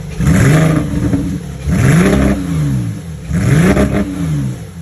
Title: Porsche 991.1 misfire cylinder #2 code p0301